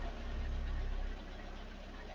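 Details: 1999 Ford Escort idling, injector heard through a screwdriver: low, steady idle with a faint, even ticking from the injector firing normally; nothing wrong heard.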